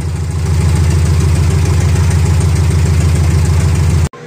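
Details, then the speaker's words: Minitruck just got running after troubleshooting, open straight header: loud, even, rapid exhaust pulsing about 200 beats a minute; steady clean idle. "oh my god do you hear it it's running and it's running so beautifully oh my God yeah it's just straight header right now"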